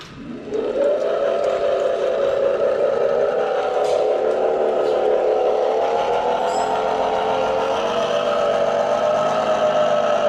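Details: Mercedes Electric Drive with a Tesla-sourced electric motor, driving away from the lot. A clear tonal whine rises as the car pulls away and holds steady while cruising. Points to a worn reduction gearbox bearing.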